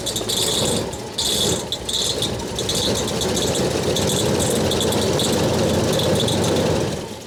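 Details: Holden VK Commodore Berlina revived after over 10 years stored in a shipping container, on first run with the radiator cap off and smoking from added trans fluid: uneven metallic dinging and light rattling in bursts over a rough-running V8; the fan is suspected of hitting something.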